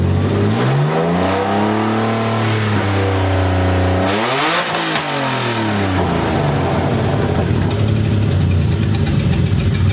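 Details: BMW E30 with burble tune on open headers only, first start-up: loud six revs climb and fall cleanly, crisp throttle response, faint overrun crackle; normal revving.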